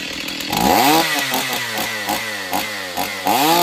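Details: Stihl 028 Wood Boss chainsaw, long unused, cracked pulse line found; run with filter off, choke worked by thumb. Revs surge up and down but pick up cleanly; engine sounds sound, needs tuning and servicing, somewhat weak, takes seconds to wind up.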